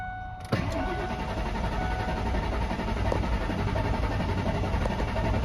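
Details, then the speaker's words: 1998 Ford Expedition, sitting about a year, with a new battery: starter spins steadily for about five seconds but it never fires; it is out of fuel even though the gauge reads full. "do but it ain't got no gas in it yeah so we got some gas to put in it"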